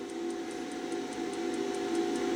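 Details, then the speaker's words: Wells Gardner K7400 25-inch arcade monitor chassis at power-on after repair: fast, faint, regular ticks about five a second over a steady hum, and no start-up. Power supply ruled out; the horizontal output transistor is suspected shorted. "It's back to ticking."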